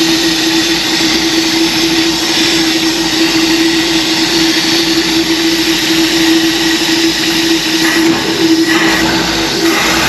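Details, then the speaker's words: '66 Ford being readied for racing, restarted, sounding better this time with air filter still awaited; steady even engine note with loud intake rush and hiss, no knocks or misses; running clean. "it sounds better this time"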